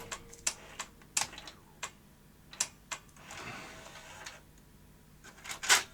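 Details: Philips VR2023 V2000 video recorder: sparse, irregular sharp clicks and ticks from the tape mechanism with short whirrs between; deck then glitches and shuts down, owner suspects overcurrent trip circuit firing the power supply off; intermittent mechanical clicking.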